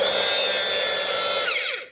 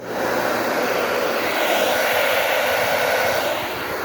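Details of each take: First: Hair dryer whirring with a harsh, raspy high-pitched edge then winding down; the loose fan blade is rubbing the housing, and the owner plans to glue it back in place. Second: Hair dryer that rubbed because of excess hair in the fan, after cleaning and gluing: smooth, even airy rush with no rubbing, scraping or rattling; normal running.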